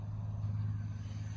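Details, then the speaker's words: 2002 Chevy Silverado 1500 extended cab, first start after fuel pump replacement and priming the fuel rail: fires right up to a low, smooth, even idle with no misses, ticks or whine; no leaks, no codes. Normal idle. "Fired right up nicely. No leaks. I can hear it. No leaks though, so that's good. No codes."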